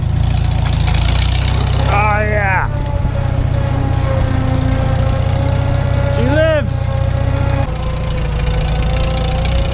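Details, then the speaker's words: Farmall H tractor, first start after winter, moving after warm-up: rear end grease still thick from cold, so only a moderate steady gear whine over low engine rumble instead of the usual horrendous rear-end gear whine. "tell you that rear end grease is still thick enough from being cold that it only has a kind of bad gear wine instead of the horrendous bad gear wine that it normally has"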